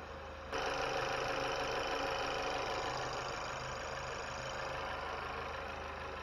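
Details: 2020 Chevy Malibu 1.5 turbo, first start-up after vacuum pump replacement and oil and coolant refill, throttle untouched: steady, even, hiss-laden idle with no knocks, misses or surging once settled, no fuel leaks; healthy idle.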